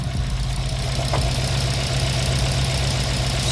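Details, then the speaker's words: Subaru WRX JDM swap engine at idle after refitting the original oil pan and oil pickup tube: light, fairly regular tapping about four times a second; knock still present but much less than before. "kind of hear it but it's a lot less than before"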